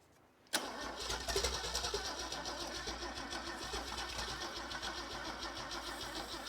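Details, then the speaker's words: Holden red motor 173 ci (2.8 L) six, about 1971, ex-Bedford CF van, unrun for years, cranked on mixed deep-cycle and start batteries: steady chug, soft even compression beats, no firing; owner suspects many valves stuck open. "she's not sucking real hard it's not not drawing me hand down real hard she not I think think a lot of the vals are probably stuck open too"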